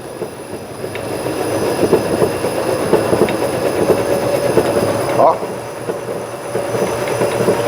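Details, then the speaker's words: Fiat Uno: fast, uneven metallic clunks and rattles growing louder as the front strut column is moved by hand, from a faulty strut mount and a control arm with a worn ball joint. "Eu tô mexendo nessa árvore de amortecedor aqui nessa coluna do amortecedor e ó o barulho tanto eu posso aumentar ele"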